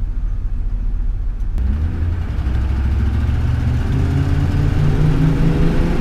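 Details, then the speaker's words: RV after a new adjustable fuel pressure regulator, fuel pump and O2 sensor: the engine note climbs smoothly when pulling away from a stop, with no stumble or hesitation; healthy acceleration. "happens no problem there off the line no hesitation whatsoever"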